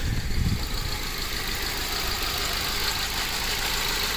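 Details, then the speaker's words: 2008 Ford Focus at idle after spark plug, coil pack and valve cover gasket replacement: uneven lumpy idle with shaky low thump and vibration; misfire, running on three cylinders, unplugging one fuel injector changed nothing. "yep we're on three cylinders again"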